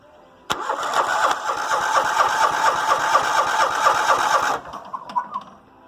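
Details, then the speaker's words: Cheap $50 riding mower with battery and spark tester hooked up: starter cranks in even beats about twice a second for four seconds and never fires; good compression, owner suspects a safety switch is blocking spark. "yeah there's probably a safety that's keeping it from spark and so anyway it sounds like it's got good compression"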